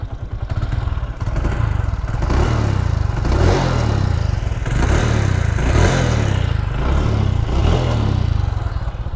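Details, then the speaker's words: TVS Victor 3-valve bike with 66,700 km, after tappet clearance adjustment with a feeler gauge to cure the loud timing-chain/tappet noise. A deep, steady beat with throttle blips and no ticking or chain rattle now; it sounds healthy. "तो यहाँ पर दोस्तों bike अभी जो है start है, तो मैं आपको इसके अंदर एक्सीलेटर दे के दिखा देता हूँ कैसी इसकी अभी ये साउंड बन रही है।"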